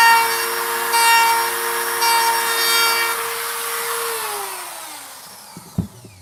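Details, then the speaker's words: Wood router: a steady high-pitched scream with a rough, buzzy edge from bit chatter, the bit shaking microscopically; it then winds down and stops. "And that's what that sound is. That sound is chatter. It's the router bit microscopically kind of shaking and spinning a little bit."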